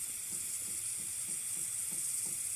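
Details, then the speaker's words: Newly replaced baseboard hot-water heating system, radiator bleeder opened counterclockwise with a flathead screwdriver: quiet steady hiss with sputtering bursts as trapped air escapes with trickles of water. "here's some air some somewhat somewhat trickles of waters coming out here a lot of here much air is coming out of here man"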